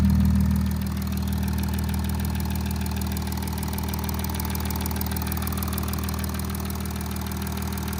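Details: Audi A8 3.0 TDI (DDV) diesel, about 30K and 6 years old: steady idle with fast, light metallic tapping at three or four a second from bank 1 (cylinders 1–3); timing chain rattle, suspected failing tensioner.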